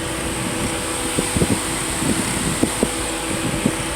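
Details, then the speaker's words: 1997 Toyota Camry LE, 2.2L 4-cylinder: with the coolant temperature sensor connector unplugged, the radiator fans come on with a steady even whoosh. This shows the fans work normally. "that connector loose from that sensor, and see the fans come on?"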